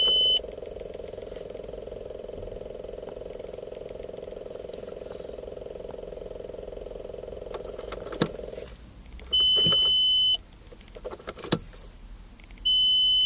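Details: Unidentified steady mid-pitched buzz from the dashboard for about eight seconds, then chimes; began the day gauges briefly failed at startup, cause unknown.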